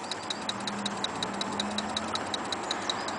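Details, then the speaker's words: Model A hot rod with 276 cu in flathead, parked 18 months outside under a tarp: with ignition on and engine off, the electric primer fuel pump ticks about three times a second priming the carbs, stopping once primed; normal. "it is a fuel pump it's like a primer pump so when I when I switch this here can you hear it ticking so that's priming the carbs"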